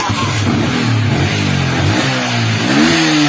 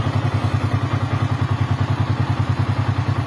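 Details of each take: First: Yamaha Vixion that sputtered and bogged, worse with lights on, started after briefly charging the battery: four clean throttle blips rising and falling back to steady idle without stumbling; now revving normally. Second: Yamaha Vixion charging about 13 V: even, regular low putter at idle with no ticking or rattle; single runs smoothly, normal idle.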